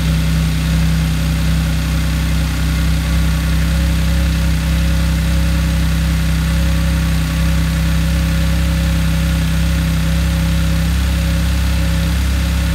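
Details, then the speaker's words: Rebuilt Audi S4, freshly restarted: a steady, even idle with no knocks or misses and a slightly deep, throaty note, possibly from an exposed airbox cover and a defective exhaust clamp that may be leaking; otherwise sounds healthy. "there we have it she starts beautiful sounds fine prepare engine sounds good"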